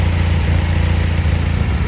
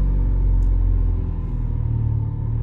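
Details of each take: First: EK Honda Civic, D-series engine, previously surging idle, after rerouting the second exhaust sensor, connecting both, and burping the cooling system by holding 2500 rpm about 45 seconds: low, even idle rumble with no hunting or surging. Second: Honda EK Civic D-series engine, warm, after rerouting an exhaust sensor and burping the cooling system for a surging idle: low idle rumble dips then swells; surging seems to settle itself, owner suspects codes need clearing.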